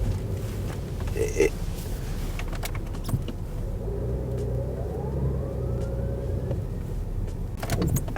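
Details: Older BMW X5 backing up. Over a low drone, a thin whine rises with road speed and appears instantly in reverse; seller says the gearbox functions fine. Reverse whine, driveline source unconfirmed.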